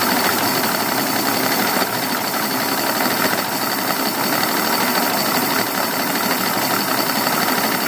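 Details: Evinrude 200 outboard at about 1,000 rpm, shifting to neutral: uneven idle with stumbles over a hissy background, coughing then dying; runs fine at higher speeds; misfire at idle.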